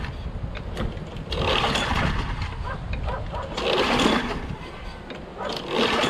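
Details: Craftsman 6.5HP Briggs Quantum FWD mower, before repair, primed with some gas present: repeated recoil pulls turn it over but it never fires. Pull is hard and compression feels good; no start traced to a failed magneto, later replaced.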